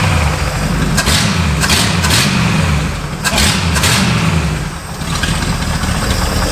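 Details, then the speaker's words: Revived carbureted Pontiac barn find that sat 20 years: snappy throttle blips drop back cleanly to a steady, smooth idle with no knocks or rattles, oil pressure 35 psi at idle. Normal idle. "Full idling at 35 PSI. That's just fine."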